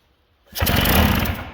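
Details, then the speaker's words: 1979 Sno-Runner snowmobile two-stroke that sat for years, with no carburetor fitted. One pull, then about a second of rough firing on fuel sprayed into the intake, which dies away. "do you hear that baby I don't know if you just heard that but that actually fired up and ran for a little bit"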